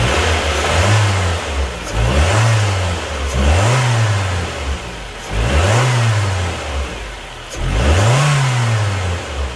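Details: 2004 Nissan Pulsar N16 with QG18DE engine, 120,000 km, after replacing a head gasket burnt between cylinders 1 and 2; five even blips about two seconds apart, each climbing cleanly and returning to steady idle, normal engine revving.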